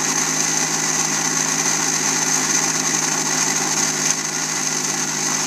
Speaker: this little engine here seems to have something that is not quite centered and uh creat some uh vibration uh therefore lots of noise